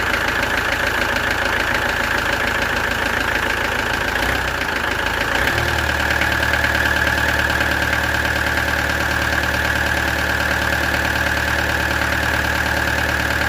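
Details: Peugeot XD3 diesel in a Peugeot 404 pickup, after a slamming noise and resetting the timing chain tensioner (found 7mm out) at the jockey sprocket: diesel clatter settles into a steady even idle after brief startup stumble, no slapping or knock.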